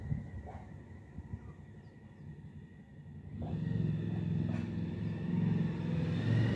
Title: Sintered brake pads cause harmonic resonance, (brake noise) Suzuki DL1000.